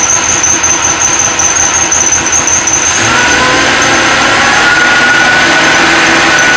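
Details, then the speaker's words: Supercharged LS1 V8 Tonner, first start after blower install, untuned: high, steady shrill squeal over a rough idle; accessory belt squeal, stopped by WD-40, belt alignment or idler pulley bearing suspected. "It's not really tuned, but it still sounds super grumpy. Everything seems to be running good. No leaks. Got a bit of a belt squeak. I'll have to play with the alignment a little bit."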